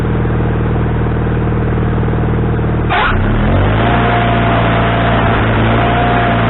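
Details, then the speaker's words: Wood-Mizer LT40HD sawmill engine with a new carburetor, after the linkage was moved from the wrong hole: runs steady, then the speed swings and hunts after a few seconds. The idle is now adjustable, but surging remains; the cause is unconfirmed. "okay it looks like looks kind of like it was human error on my part I I think I had the linkage in the wrong hole and I changed that and now I can turn the idle down I can adjust the idle and now all I have to do is try to correct the surgeon"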